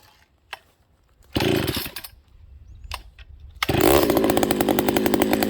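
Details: Ported Homelite 922 chainsaw after a clutch fix, new fuel line and cooler heat-range plug, started on full choke: a couple of pulls, then it catches and revs crisp and steady with an even rattle; normal running.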